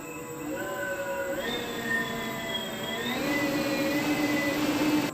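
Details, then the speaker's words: Homemade 72V 12,000W electric dirt bike on Kawasaki KX250 frame; after grinding down a rubbing bolt the clean electric whine climbs in steps with throttle, no rubbing or scraping, noise fixed. "all right so i ground that bolt down so it shouldn't be making that noise anymore [Music] all right that fixed it"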